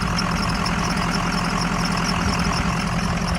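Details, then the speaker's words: Ford Excursion with 600HP 6.0 Powerstroke crate engine at steady idle, faint rapid high chirp like a belt squeaking over a pulley; goes away once warm; owner suspects the belt tensioner, new one ordered. "it's just squeaking so i've got a new tensioner order i think that's the problem i think it's just the belt toucher"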